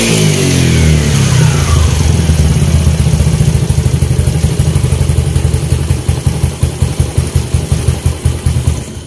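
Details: Yamaha Mio Sporty scooter after full CVT upgrade with straight JBT parts: engine blipped high, revs fall smoothly to steady even idle, no slipping or rattle; running fine.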